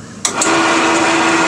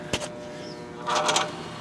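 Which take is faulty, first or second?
second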